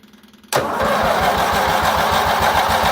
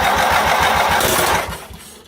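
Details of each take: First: Baby Doe John Deere tractor after fuel system work, fuel pump wired always-on, starting with throttle and added choke; engine catches suddenly, quick steady putter about three seconds, then dies down; engine starting on choke. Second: Baby Doe John Deere tractor with the fuel pump set to run constantly and fuel confirmed at the carburetor: starter gives a quick steady chug on the small engine, which never catches and fades out; no start during fuel system troubleshooting.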